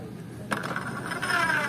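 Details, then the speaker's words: Honda Supra X 125 after an engine overhaul, clutch and magneto covers opened: dry ratcheting scrape that grows rougher as it runs, from the one-way (automatic bell) gear rubbing against the clutch gear; clutch housing seen rubbing badly when fitted. "suara berisiknya ditimbulkan dari spasi antara gigi apa Gigi one way lonceng otomatis dengan gigi kopling ya"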